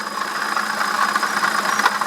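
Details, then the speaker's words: BMW E65/E66 at idle: rough, scratchy squeak persists with the fan unplugged, ruling out the fan clutch bearing. The water pump has a slight wobble, so the water pump bearing is confirmed failing. "fan is completely unplugged and I'm still hearing the squeak so it's definitely the water pump bea"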